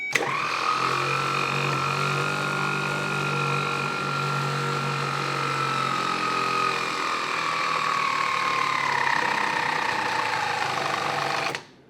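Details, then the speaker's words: 1970 Triumph TR6 starter bench-tested on a good 12 V battery: spins up to a steady whir, then pitch sags and it drags to a stop, seizing; owner suspects corrosion inside. "now it's picking up speed which tells me that it is a little bit corroded inside and now slowing down again"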